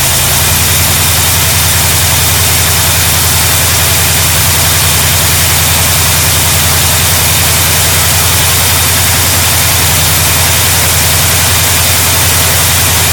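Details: 1972 GMC Sierra Grande with newly installed replacement V8: steady, even low rumble at idle with a constant hiss over it, no knocks or misses; running smoothly.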